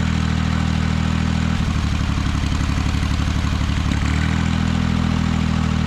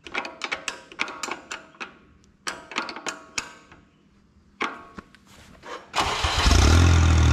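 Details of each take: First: Ventrac 4500Z tractor with a failing cylinder 1 ignition coil: a smooth idle turns into an uneven, pulsing chug when the number 1 plug cap is pulled, mimicking the power loss seen after about 30 minutes warm; engine running on one cylinder. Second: Ventrac 4500Z after replacing the igniter coils, spark plugs and igniter box for a cylinder #1 loss of power: starter clicks, then the engine fires and holds a steady, even idle about five seconds with no stumble. Normal idle after repair.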